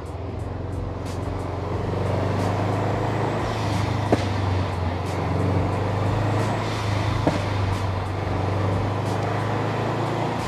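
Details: 2008 Subaru Legacy GT with Cobb downpipe, SPT catback and newly installed GFB hybrid blow-off valve, driving at about 3,500 rpm then lifting off: road drone with sharp exhaust cracks on throttle close; overrun popping, owner suspects BOV making it run rich.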